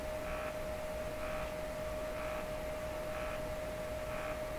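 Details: Stromberg Carlson Model 515 radio on test before repairs: steady hum with a regular buzzy pulse roughly once a second over a fixed tone, a loud, very regular buzz of unknown cause.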